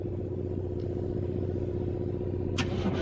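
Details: Diesel started by a newly added remote thumb switch wired to the helper solenoid signal wire, ignition on, after cleaning corroded battery cables and terminals that caused a one-click no start: catches and runs with a steady low rumble; normal start.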